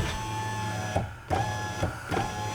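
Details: 2011 Mazda CX-9 window with the door switch plugged back in: a short even motor whir over a few strokes with clean stops at each end and no grinding or clicking; the window runs properly.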